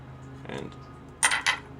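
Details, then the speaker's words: Axial AX24 RC crawler with 33% underdrive/overdrive, suspension pushed to wicked high compression: two sharp metallic ticks about a quarter second apart as the driveshaft strikes the motor; in normal driving the struggle came from tire traction instead. "I kept looking to see if the drive shaft was hitting the motor but let's go to wicked high stance on it Like It's gotta go in so far before it hits you can hear it hitting"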